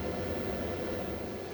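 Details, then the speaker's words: Repaired 24 V inverter test with 230 V output powering a 600 W incandescent lamp, drawing 26 V, 695 W and 30 A from the battery: steady, even fan rush with a low hum, no crackle, buzz or cutting out; runs normally under load. "Так, перевірка інвертора 24 В. 230 В на виході Лампа рожерювання 600 Вт. Так, по навантаженню 26 В, 695 Вт, 30 А від батареї."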